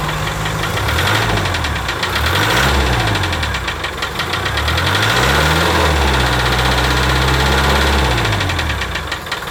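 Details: 1987 Land Rover One Ten, 300Tdi diesel, head skimmed beyond limit with thickest head gasket after overheating from failed water pump bearing; steady idle with a regular ticking knock about three per second over the clatter, source unknown.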